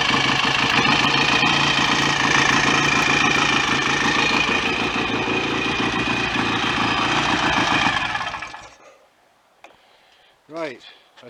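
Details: BSA A65 twin after engine rebuild: busy, even idle with steady mechanical ticking and no knock, then clean shutdown; oil circulating, no smoke, bottom end healthy.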